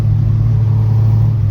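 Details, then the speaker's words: Mk2 track car with a high-compression 2.0 16v engine on individual throttle bodies, under load: deep, steady drone with no sharp pinging or rattle; still present with timing pulled, so it is harmonic engine resonance, not detonation. "So he pulled timing, still made the sound. So it's just harmonic sound that the engine makes."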